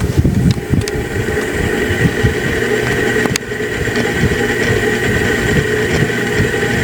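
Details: Harbor Breeze Marco Island 52" antique brass ceiling fan in a bedroom, humming quite a bit whenever it runs, with a low throbbing rumble underneath; noisy but still usable.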